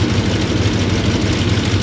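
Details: Lincoln MKZ at idle with a misfire: uneven stumbling beat with dropped pulses. Spark is good; injectors sound fine on the stethoscope, though the number two injector (cylinder 3) sounds slightly odd. A faulty fuel injector is suspected.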